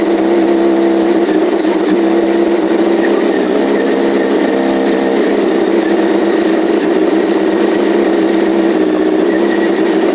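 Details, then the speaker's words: 2007 Yamaha R1 inline-four just after an engine rebuild, idling: a steady clean pitch with no ticking or knocking, slightly uneven. The rough idle is blamed on fuel trims while the ECM recalibrates. "Well, no ticking, no crazy noise. The idle was a bit rough, but I'm going to blame that on fuel trims right now."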